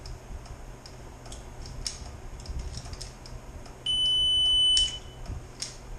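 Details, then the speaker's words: 1.8T engine on a bench test for a Super Beetle build: key turned, one steady high beep of about a second over faint clicks, no cranking; grounds sorted but the anti-theft immobilizer blocks the start, ECU needs reprogramming. "So I'm having this problem when I try to start it up. I've got everything grounded now, but there's an issue with the anti-theft system."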